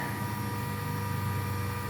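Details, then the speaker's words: 2.2 kW G-Penny metal spindle driven by a Fuling DZB300 inverter after parameter setup, running at high speed; smooth, constant hum with a few steady tones and no knocks or grinding, quieter than the inverter fan. "Suaranya sangat halus. Ini adalah R.000. Suaranya sama, kipas inverter lebih berisik daripada ini."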